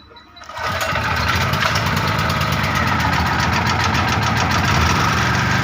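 Starter catch, then the engine settles straight into a steady, even drone with no misses or knocks; generator running healthy.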